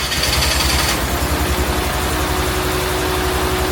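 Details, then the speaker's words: Ford Ecoboost-swapped Nissan 240SX on Link ECU, early start attempt: a lumpy, uneven idle with a heavy low chuffing beat. It is running on only two cylinders before wiring and pinout issues were sorted. "Only two of the cylinders worked at first. You can hear this for yourself."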